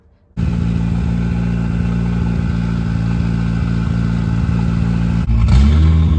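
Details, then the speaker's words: Mitsubishi Expo van with turbo 4G63 AWD swap: steady, fast idle held well above normal with an even exhaust note, then revs rise. "I have the best screw all the way in and if I come out it raises the idle and it when I'm all the way in it's still idling high so I think something is amiss"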